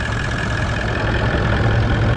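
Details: Toyota 79 Series Landcruiser 1VD diesel V8, towing a caravan in 40°C+ heat, noticed ~400 km before Alice Springs: steady idle with a slight harmonic droning rumble under the clatter; confirmed worn water pump bearing, pulley had slight movement.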